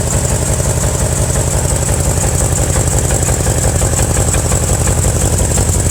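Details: 2000 BMW M5 engine at idle: even idle with a dull, regular knock about three times a second deep in the engine; suspected bottom-end knock, cause not pinned down.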